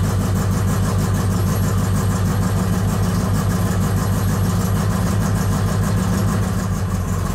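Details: VW Bug carbureted flat-four on Weber 44 IDF carburetors, new CB Performance Black Box ignition just installed, running its initial map: uneven loping idle about three pulses a second; rough running, map needs work.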